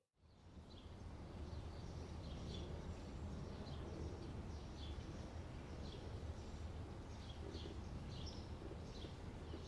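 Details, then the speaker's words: BMW M3 E92 started after over 1.5 years parked on a CTEK MXS 25 charger, last driven November 2019; low, even idle rumble with birds outside, no knocks, misses or hunting, idling normally. "so the answer is yes i guess as you just saw the charger looked fine and hasn't melted down the car started just fine which i'm rather surprised if i'm totally honest and all seems well"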